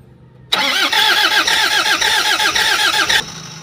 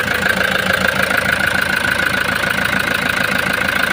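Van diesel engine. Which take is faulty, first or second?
first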